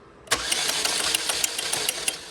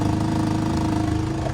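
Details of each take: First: 2004 Chevy Malibu Classic petrol engine, sludged, after ATF flush, new timing chain tensioner and re-timing: compression test cranking light, fast, even, about six to seven beats a second, no compression; low oil pressure lets tensioner slack and chain skip teeth. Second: 2004 Chevy Malibu Classic, warm, after replacing a broken oil-pressure chain tensioner: a smooth, even idle with a steady pitch and a little metallic noise; it no longer stumbles or catches on rev-down; normal idle.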